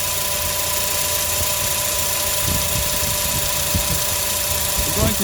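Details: 2004-08 Acura TSX at idle after pump O-ring replacement: faint steady pump hum, no strong whine, close to normal; system still being monitored, fluid flush planned.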